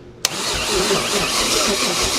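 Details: 1969 Chevy 327 V8 with the distributor cap and rotor refitted and the coil live: steady, even cranking that never catches. Cause not confirmed; spark was then found, and an earlier spark-checker contact problem is suspected.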